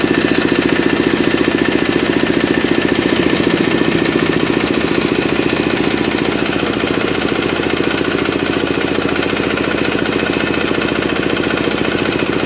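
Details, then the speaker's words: Kubota RD65DIS single-cylinder diesel under load on a soil grinder after cylinder head reinstall with timing checked: combustion good, even thumping beat with a slight gravelly roughness from worn engine gears. "Namun, masih terdengar sedikit suara kasar. Hal itu memang disebabkan oleh roda gigi mesin diesel yang aus atau sudah tajam."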